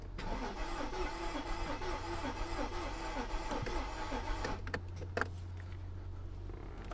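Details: Mercedes S55 AMG, Copart car, cranking on a battery jump pack: starter churns evenly for about four seconds, never catches, then stops; fuel pump dead, so little or no fuel at the rail.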